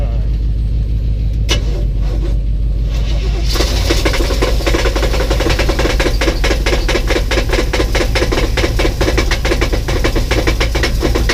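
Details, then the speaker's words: 1984 box truck at its first start in years, with a new ignition cylinder, running on 15-year-old fuel and no oil pressure gauge. A steady, evenly spaced knock over a rough idle; there is a known exhaust leak tick, but the owner suspects a cracked or loose flywheel or torque converter. "what I'm hearing doesn't sound like an exhaust leak tick it sounds like something like a flywheel like a cracked flywheel or a loose flywheel or torque converter or something like that"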